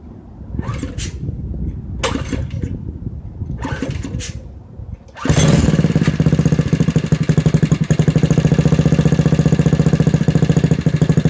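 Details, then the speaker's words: Briggs Intek 206cc 6hp single-cylinder engine in a Doodlebug DB30 minibike, first start after install with a new home-made side exhaust and old tank zip-tied on: three pull-start tugs, then a fast steady putter; normal running. "Okay, so I'm still waiting for the new gas tank to come in, but I'm just dying to hear how this new exhaust sounds."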